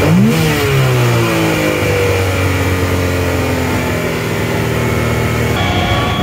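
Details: Yamaha YXZ1000R engine revs, then pitch sinks slowly and hangs high instead of dropping to idle; throttle sticking open slightly, diagnosed as the throttle butterflies.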